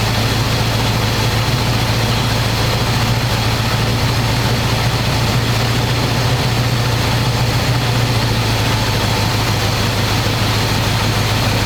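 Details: 1985 square body truck, 454 big block V8, 4-speed, sitting 20 years, fresh oil and filter, after idle screw adjustment, running hot: deep, even open-pipe rumble, steady beat, no misses or knocks. Normal idle, though owner says it won't idle down.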